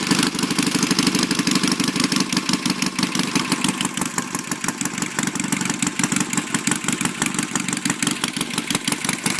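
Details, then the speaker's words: Cold 1969 BSA/Triumph 650 parallel-twin chopper, batteryless, just started with lights off: an uneven, busy twin beat with crisp exhaust pulses and no knocks or squeals, a normal cold idle. "Yeah, might as well start it up for you. Bike's cold. Now, since this is batteryless, you can't start it with power going to the lights."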